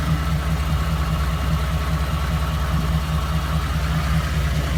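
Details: 2014 Ford F-150 5.0, 54,000 miles, ticking since about 52,000 that worsened, now rough idle after a dealer visit: steady low idle with uneven lumpy pulse and faint tick on top; cause unknown.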